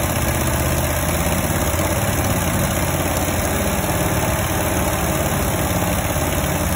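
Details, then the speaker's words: 1971 International 1310 grain truck V8, long-sitting, started with gas poured into the bowl and a bad accelerator: it settles into a steady, even idle with a smooth low rumble. Normal idle. "oh yeah oh yeah sounds good i mean title time blowing all the all the mice out of there"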